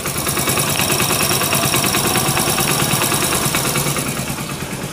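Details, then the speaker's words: Hero Splendor Plus BS6 fuel-injected, about 42,000 km, after clutch plate replacement and timing chain side repair: close, steady single-cylinder idle thumping about three a second, even with no timing chain rattle; engine now sounds healthy. "तो guys engine जैसा उन्हें बहुत प्यारा आ गया है"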